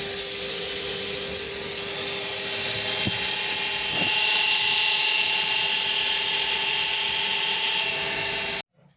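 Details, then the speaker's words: 1950s RAF Jet Provost vacuum-operated attitude indicator after strip and rebuild: steady mid-pitched gyro rotor whine over loud rushing-air hiss. "it makes a really nice sound"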